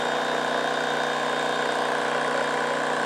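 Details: Titan Impact X 120 cordless backpack airless sprayer (Bosch battery) priming through the pickup tube: even mid-pitched motor hum with a quick, steady pump pulse, no grinding or stutter; normal priming.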